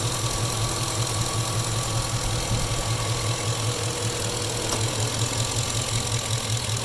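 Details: Chevy engine at idle: regular light knock about two to three per second over a steady idle; cause not confirmed, suspected engine knock.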